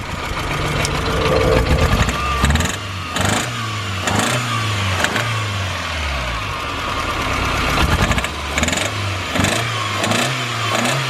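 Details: Stock Toyota Starlet, number 3 injector plug off: uneven, lumpy running that stumbles as it revs, with a low-compression beat showing through; head gasket blown between cylinders.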